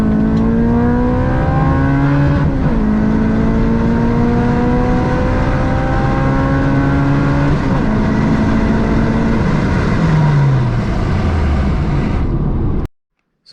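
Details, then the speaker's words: Acura RSX Type S, K20A2 four-cylinder, six-speed manual, before Comptech supercharger install: clean pull rising through each gear, pitch drops at shifts, no knocks or misses; normal acceleration. "as you can see this thing definitely pulls really well it's going to pull a lot better the comptex supercharger kit"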